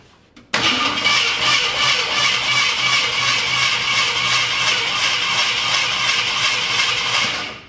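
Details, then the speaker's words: Turbo 360 FE V8 in a Ford F100 after cam break-in; a big pop was heard while tuning the carb idle. The starter now cranks quickly and evenly for about seven seconds with no firing and no compression. Suspected head gasket or other internal failure, possibly hydrolock. "But if you listen close, we don't hear that grinding anymore. There's no compression left. So, something broke."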